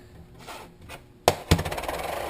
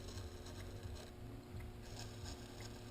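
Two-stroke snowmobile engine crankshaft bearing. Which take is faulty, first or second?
first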